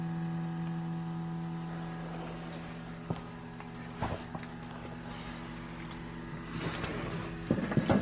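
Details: 2019 Subaru Crosstrek parked and switched off: faint steady buzz behind a few handling knocks. Normal EVAP/fuel emissions system self-test hum.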